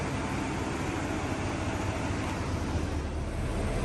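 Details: GM 6.2L/5.3L V8 (L86/L83) first start after DOD delete, cam and lifter swap and head gasket job, new tune: steady, even low rumble, no ticks or misses, smooth healthy idle.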